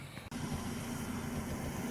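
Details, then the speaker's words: Vauxhall/Opel Corsa C after in-tank fuel pump replacement, engine started to check for leaks: petrol engine idling evenly with a faint steady tick from the new pump, no leaks; normal fuel pump operation. "I don't know if you can hear that, but that is the sound of the fuel pump ticking away, all working nice."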